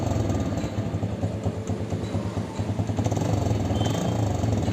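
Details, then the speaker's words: TVS Victor 3-valve single-cylinder bike after a repair that followed sudden engine knocking and a no-start, with new parts fitted and the timing chain tensioner inspected: loose but steady low putter, no knocking or rattle, engine sounds fine; exhaust silencer is cracked. "Bike को start करते हैं engine में कोई भी sound नहीं है बिल्कुल first class"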